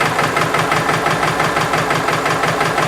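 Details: Subaru engine at warm idle with sharp, regular rattling knock about three per second tracking engine speed, heard via mechanic's stethoscope; owner suspects passenger-side bank valve adjustment rather than rod knock; header exhaust leak already checked; not confirmed.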